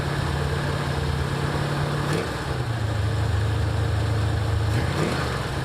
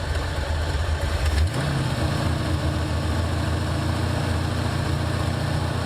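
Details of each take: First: 1984 Ford Mustang GT350 just after a starter replacement, first start with choke on: steady warm-up idle with a low, even rumble that dips briefly then recovers; nothing abnormal here, though the owner then notes an audible leak from the head. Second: 1984 Ford Mustang GT350 V8, cold idle on slow Holley choke: rough low idle with sharp puffing tick on each firing pulse; leaking badly at the headers.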